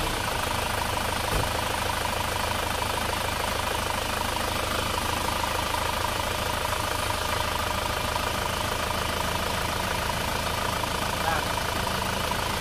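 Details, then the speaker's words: Isuzu Panther diesel idling after the clogged PCV valve was repaired: steady even clatter, hiss from the PCV outlet and pressure at the oil filler cap gone, sound back to normal. "Lihat teman-teman, suara mendesisnya sudah hilang, jadi sudah tidak keluar suara mendesis lagi. Jadi suaranya sudah normal."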